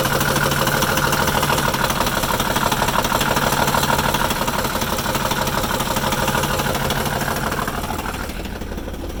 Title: Rough idle